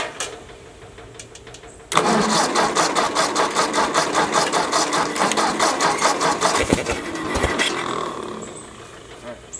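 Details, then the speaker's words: Ford Jubilee tractor after carburetor swap, previously stalling under load: engine catches and settles into steady, even idle with regular firing pulses, no stumbling. Finding: normal idle. "uh sounds pretty good she was stalling under a load before"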